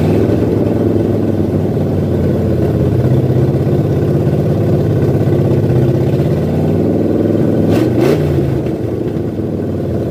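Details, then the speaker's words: 1978 Ford F100 V8 with new Comp Cams cam, fresh zinc-additive oil, before cam break-in: lumpy, loping idle about four pulses a second, steady and even underneath. Normal choppy cam idle. "I'm gonna end this episode at Sandy just chopping for a second."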